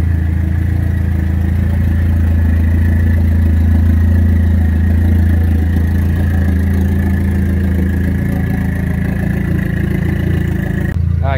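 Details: Dodge Neon SRT4 driven after fixing recurring intermittent fuel pump problem; steady deep engine note, even throughout, no surging or cutting out. Normal running.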